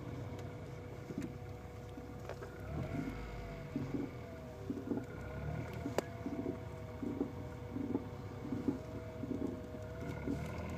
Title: Mc2 knocking / grating sound